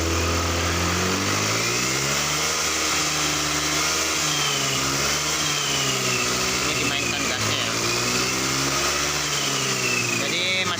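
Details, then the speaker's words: Honda Scoopy FI scooter after injector service and new fuel pump (weak pump pressure, rusty tank debris, TP sensor suspect): revs rise and fall smoothly with an even note, the earlier high-rpm stutter and power loss now gone. "brebetnya sudah hilang ya semakin berkurang dan ini sudah hilang"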